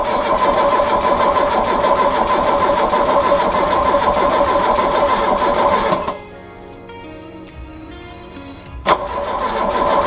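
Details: VW Golf GTI MkII first start after sitting since 2015 (bad steering rack), new battery, booster attached, fresh fuel: steady cranking about three beats a second builds into a running engine under loud music; fires and keeps going.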